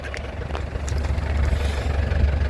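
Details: 2009 Isuzu Panther LS Turbo diesel at idle during a sale inspection. A steady, low, even diesel rumble with no misses or knocks; a healthy engine with no blow-by and no exhaust smoke.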